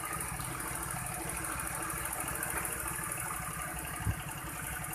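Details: Honda Vario 110 carbureted scooter after fixing hesitation on initial throttle pull-off (carb air screw adjusted, ignition checked): steady, even single-cylinder putter that holds its beat without hunting or dying; a clean, stable normal idle.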